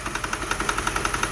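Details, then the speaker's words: 2006 Mercedes CLS 500 V8 project, running after fuel pump work: uneven idle with sharp pops about ten a second, irregular stumbling beat, knocking and burning oil seen; a misfire, issues beyond the fuel pump. "now there is some knocking going on listen to it that don't sound good [Applause] definitely it's a misfire"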